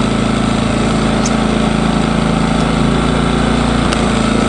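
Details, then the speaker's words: Engel 2500W inverter generator on first run during break-in, on 91-octane unleaded, powering only a 150 W camping fridge. Engine revs up slightly, then a steady, even hum with constant pitch, no misses or knocks: normal running under light load. "I heard that just rev up just so slightly then cuz it's only 150 W frak so it's not drawing a lot out as Jenny don't want to overload it just want to run it in nice and easy"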